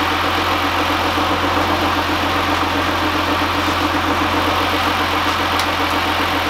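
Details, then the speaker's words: 2015 GMC Sierra at idle after an AC condenser replacement and oil change: a steady idle with a faint rapid ticking chatter over it. A weird noise, source not yet found; removing the belt is planned to check it. "you can see if bro is going to help me find the diagnose this weird noise that was the problem yeah hear that"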